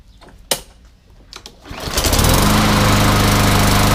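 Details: MTD Yard Machines front-wheel-drive mower with newer Briggs & Stratton engine, after repair for no-start, blade sharpened and balanced: a couple of pulls, catches and settles to steady even buzz, no misses or surging.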